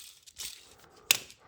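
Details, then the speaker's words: K24 clutch release (throw) bearing, removed and spun by hand, is far too easy to spin and gives a dry gritty hiss and scraping rasp; bearing destroyed, metal-on-metal, cutting into the pressure plate; car had hard shift/grind. "but this bearing is shot so not too sure what kind of a bearing this is but you can hear it it should not be this easy to spin by hand first off second off you should not be able to hear"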